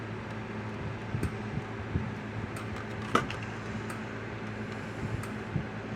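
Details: Kencove KF6000 fence charger (older variant of the EK6) with a replacement board fitted: sharp faint ticks roughly once a second over a low room hum; charger pulsing normally.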